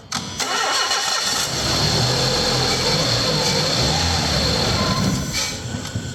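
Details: Renault Clio being checked for a suspected head gasket failure, started after a compression test with the plug leads refitted: it cranks briefly, catches quickly and settles into a smooth, even idle with no misfire. Starts and runs normally.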